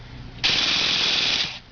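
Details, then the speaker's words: Jato being serviced, started with the starter box: a red button powers a motor that turns the piston while the glow plug ignites, and cranking pushes fuel through the lines into the carburetor. About a second of high, even whirring, no grinding; normal cranking. "And what happens when you crank it is it's basically just pushing all the fuel through those lines going into the carburetor."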